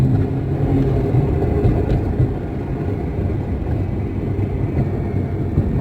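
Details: Porsche 911 Turbo: steady low engine rumble with a choppy, loose rattle coming from the rear; cause unknown.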